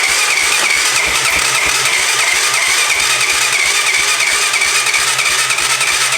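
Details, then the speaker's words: 1988 Honda 4x4 ATV, first start after filling and cleaning the carburetor; steady idle with sharp raspy puffing and hiss on each firing pulse from an exhaust leak, but it starts and runs. "it's got exhaust leak but it does start and run"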